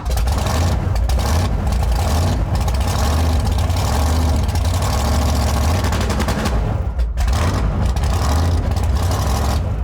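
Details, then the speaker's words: Drag-and-drive car at Sick Week 2025: revs crackle and stutter in rapid bursts as the limiter repeatedly cuts spark, over a heavy low rumble throughout; the two-step rev limiter is checked and working. "Uh, we just checked the two-step. That's functioning."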